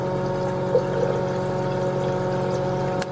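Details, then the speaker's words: Kohler toilet with a canister-style flush valve whose pink bottom seal is coming apart: water trickles steadily from tank to bowl with a constant hiss, and the tank must refill, leaking day and night. A worn flush valve seal is leaking. "you probably here right now water leaks and then the tank has to fill up again and so you waste an incredible amount of water and this just goes on all day and all night long"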